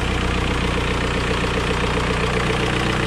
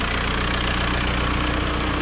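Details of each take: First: 2003 VW Beetle 1.9 TDI diesel after new turbo wastegate and repairs: steady diesel idle with a light tick about twice a second over the clatter; owner suspects small exhaust leak, slight turbo whistle also heard. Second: 2003 VW Beetle 1.9 TDI diesel after oil change and turbo wastegate replacement: even idle with light steady tapping clatter underneath; normal tappety diesel valve tick, exhaust smell in engine bay noted.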